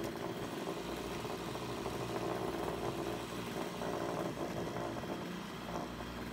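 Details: Brush cutter two-stroke after repair of a fuel leak from a split hose (it had stalled while mowing): fairly quiet, even buzz running steadily without stumbles or cut-outs, outdoor noise around; running normally.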